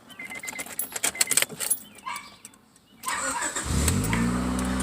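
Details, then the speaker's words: Car after a new starter was fitted (previously would not start even when tapping the starter solenoid), airbox still disconnected: a quick crank, the engine catches cleanly and settles into a smooth, even idle; starter working fine. "so it's all done the only thing not connected is the airbox and it should start"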